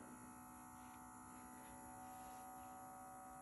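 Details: Sony SL-6200 Betamax player with tape inserted, standby light on: steady low electrical hum with faint whir, no mechanism engaging; play, rewind and fast forward buttons won't press, so tape transport is not engaging.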